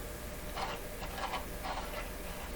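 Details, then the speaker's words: 1925 Magnavox Type D TRF battery radio, volume control turned: faint scratchy ticks in short bursts as the wiper slides over the wire-wound rheostat resistance wire; sounds scary but normal rheostat wiper noise. "you can tell that's a wire rheostat and the slider sliding over the wires sounds kind of scary doesn't it"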